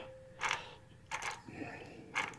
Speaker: this one actually is in pretty bad shape it's uh it's hard to turn you can hear those bearings in there and you know those clickers in there that catch when uh when you well that's this you can hear those but that's terrible